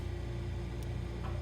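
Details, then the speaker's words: Frigidaire side-by-side refrigerator LFSS2612TF4 after replacing stuck fridge air damper (part 242303001): steady low hum with one brief click as damper motor stops at end switch; damper opening normally, no repeated clicking. "damper's opening right now to allow the air to blow in"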